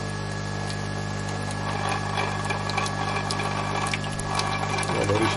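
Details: Bosch CTL636ES1 built-in coffee machine that does not grind and shows bean container nearly empty: steady low pump hum with light ticking, no grinding burst, only water comes out; grinder motor worn out.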